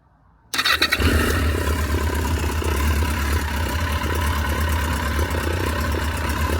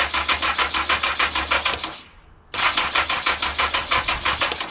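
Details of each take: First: Barn-find Yamaha XJ900 Diversion motorcycle with carb float bowl seals leaking fuel, started only briefly; catches quickly and holds a fairly steady four-cylinder idle for about seven seconds before shutdown, no fault audible. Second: Abandoned barn-find Yamaha XJ900 Diversion motorcycle being revived: starter cranks with steady, even chugs about three per second in two bursts, engine turns over freely but does not catch yet; fuel was later seen leaking at the carbs; normal cranking.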